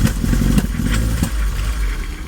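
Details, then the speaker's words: 1980 Triumph TR7, cold, at start-up after removing noisy thermofan: idle stumbles with uneven coughs and pops; rough, misfiring idle, owner suspects it needs a tune, new plugs and possibly timing adjustment; cause unconfirmed. "do with a bit of a tune potentially too, because she's coughing and farting and carrying on."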